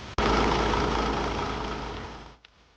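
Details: DAF Euro 6 truck diesel after fitting a temporary replacement return (check) valve, whose wiring plug had been broken, causing rising oil level and one dead cylinder; test run sounds steady and even, no misfire or knock, then stops abruptly; healthy running.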